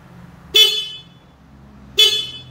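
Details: Stock horn on a Yamaha Mio M3 scooter, before a horn relay is fitted: two short bright honks about a second and a half apart, clear steady tone. A healthy stock horn.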